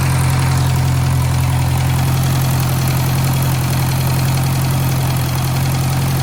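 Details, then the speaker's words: 1956 French-built Massey Harris Pony 812 tractor, Simca 9 gasoline engine, idling after fuel pump rebuild: steady deep idle with faint puff about three times a second riding on it; small exhaust leak noticed. "looks like there's a little bit of a exhaust leak there. Old tractors, there's always something."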